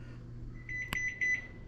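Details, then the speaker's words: GE stove after fixing F96 error code, baking at 375°F: short run of high-pitched beeps over faint hum as oven reaches set temperature; repair confirmed working. "And as you can see, it's heated up to 375, so it's fixed."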